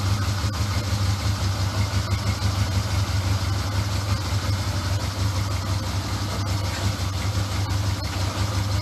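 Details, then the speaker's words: Honda CD200 Benly twin, first run: low even putter at steady idle, no knocks or misfires; no exhaust leaks, good pressure at the exhausts; normal idle. "that was a proper result run like a swiss watch no leaks anywhere lovely pressure at the back of the exhausts hunky dory"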